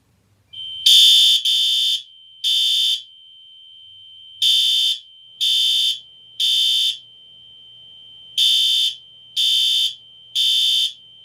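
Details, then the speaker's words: Basement fire alarm test: loud high-pitched horn blasts in groups of three, then a pause, repeating. A normal temporal-three alarm test. "we're gonna be giving uh the fire alarms a test so you can hear what uh the fire alarms sound like down here"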